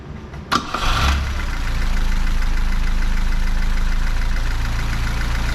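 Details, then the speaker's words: Fiat 124 Spider 2000, after a partially working coil was found (it would not idle below 1100 rpm and backfired through the carb): short crank, clean catch, then a steady low idle around 800 rpm with even pulses; healthy idle. "car is on and running I bought this because of this car so we're about 800 RPM which is where we want to be"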